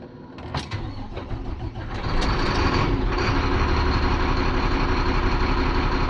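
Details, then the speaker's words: Air-braked diesel truck restarted after draining water from its bed, before warm-up. Some clatter on start, then a steady but slightly lazy, uneven idle; it still sounds sluggish, cause not obvious. "Don't sound too bad. Sounds like it's still a little sluggish sounding."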